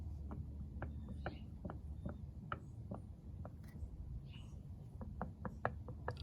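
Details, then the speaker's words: 2005 Mercedes C230 Kompressor (W203) cross strut/lower control arm removed from the car. Sharp, uneven knocks, about two a second, as the arm is rocked by hand: a worn ball joint causing clunks over bumps and under braking. "that was the noise going on inside the car so the ball joint is bad so if you're driving around and you're going over slight bumps or under braking you're feeling a up and down movement kind of clunking odds are as part of your ball your ball joint"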